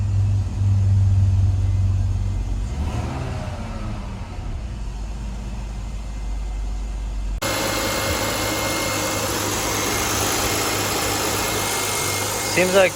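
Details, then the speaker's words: 2000 BMW 328Ci idling after replacing cracked intake hoses: fires and settles to a fairly steady idle with slight unevenness; running better, but owner unsure it is fully right. "running better but still i don't i'm not sure if it's 100 but it does seem running better"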